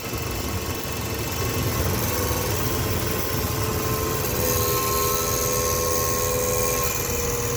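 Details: 2007 Dodge Ram 1500 5.7 Hemi, 140,000 km, idling after remote start: loud, steady high transmission whine over the V8, audible from two blocks away; no oil drips or rubbing found at the inspection plate, cause unknown.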